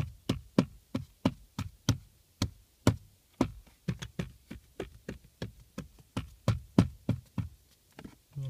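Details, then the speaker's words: Lada Priora glovebox rattled on the right side. Its bushings were wrapped with electrical tape in two places; tapping now gives dull, low thuds with no sharp buzz, and the bushings sit firm. "звуки стали глуховат ее уже не такие надоедливые носами втулки сидят мёртвые"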